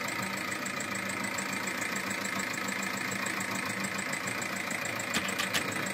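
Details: 1.9 TDI 105 hp SEAT Altea diesel, 175,000 km, bought second-hand; idle with light ticking knock about three per second over clatter from worn hydraulic tappets and camshaft lobe, caused by using oil more viscous than specified.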